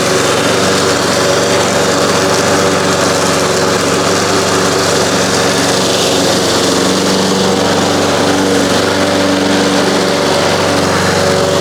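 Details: 1993 Toro Recycler II mower, Briggs engine, after repairing no-spark (ignition coils, flywheel), mowing grass: steady, even drone with no misses or surging under load; running healthy.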